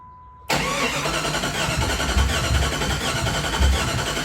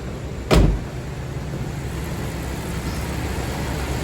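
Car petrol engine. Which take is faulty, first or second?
first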